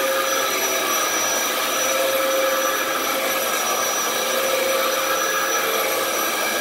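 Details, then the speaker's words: 15-year-old Dyson DC07 running on a rug, uncleaned, with a bad lower hose: a steady motor whine with a faint tone coming and going every couple of seconds. The belts are slipping in the brush roll clutch, so it needs a new belt. "uh yeah you can you could hear that clutch just starting and stopping and starting and stopping or i should say the belts in the clutch more so than the clutch itself"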